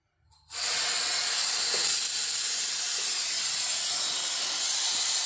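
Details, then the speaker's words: Square-body C10 air-ride front end, dumping from full lift to check how low it sits on air: sudden loud, steady five-second hiss as the front air bags deflate normally. "So that is full lift, and that's actually pretty good. That's a lot of lift. So let's see how low she's going to sit on air."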